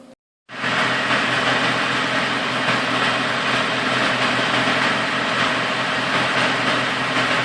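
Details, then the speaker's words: Engine running after the clutch linkage was cut to length and refitted, clutch pedal pressed: brief drop-out then steady even run with no grinding or gear rattle, the transmission stops spinning; normal clutch disengagement. "that means the clutch is released all the way I can hear that it's not spinning right there you can hear it spinning and there it stops so we're good to go"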